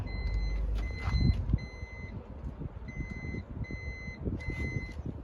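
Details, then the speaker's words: Driver's-side power sliding door on a 2014 Honda Odyssey beeps and won't unlock at the button, relocking itself when unlocking is tried; the door lock actuator was already ruled out. Short high-pitched beeps in bursts over faint latch clicks. "I have a 2014 Honda Odyssey, and the problem is the driver's side door just beeps. When you push this button, it won't even unlock, so you can"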